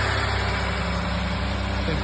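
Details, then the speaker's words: Ford 3.5L EcoBoost twin-turbo V6 first start after replacing both timing chains and fitting updated cam phasers to cure phaser rattle: steady, even low idle with no chain rattle or ticking; smooth and healthy. "And yeah, we're gonna fire it up for the first time here. Sounds pretty smooth."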